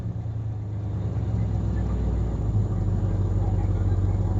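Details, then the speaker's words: 1966 Ford Galaxie 500 V8, first start, water temp good: even burble at a fast idle, clearly above a normal slow lope; idle is too high and needs adjusting down. "Yeah, I knew it was too high. Yep, idle's way too high."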